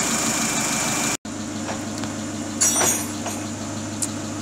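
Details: Great Wall Hover H3 after head gasket repair for a blown gasket (antifreeze in cylinder 4, cooling system flushed and refilled), warming up while waiting for the fan: smooth, even idle, steady low drone, no ticking or knocking; healthy.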